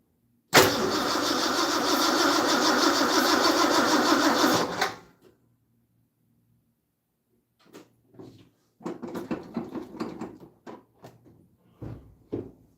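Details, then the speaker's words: Classic Ford: about four seconds of even starter cranking that never catches, then a few scattered puffs; cranks but won't start. Owner suspects the new Chinese fuel pump; the fuel line is found swollen. Cause unconfirmed. "I think fuel pump from China should have a one-year warranty. I'm afraid it might be that stupid fuel pump."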